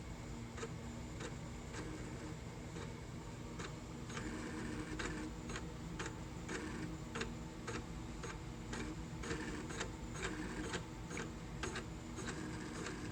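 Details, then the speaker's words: Junk-store vintage printer powered up showing alarm, test button doing nothing; faint irregular ticking and clicking over low motor hum plus earlier high-pitched whine; owner suspects jammed motor; mechanical grinding and ticking. "Oh, I think that's this. I think the motor's jammed."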